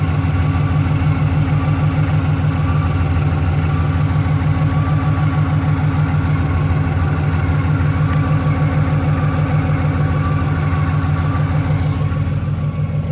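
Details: Ford Mustang Boss 302, naturally aspirated, at idle: steady thumping idle with constant high whistle sounding boosted; accessories and pulleys fine, stethoscope traces it to driver's side bell housing; clutch or flywheel suspected, unconfirmed.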